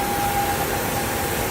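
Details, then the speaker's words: Fiat Argos at idle: loud hiss with a thin whistling tone from the engine area, stopping when the cover is opened, from a split PCV valve diaphragm membrane in the cover. "Barulho localizado aqui na região do motor. A gente barulho muito forte. Motor funcionamento regular."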